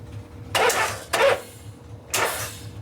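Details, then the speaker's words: 1974 Harley shovelhead 74ci FX bobber, high compression: three short, labored starter bursts that turn the motor sluggishly and die off; the battery is dead, so kickstarting is needed. "Yeah, that battery's done. Yeah. Good thing you got a kicker."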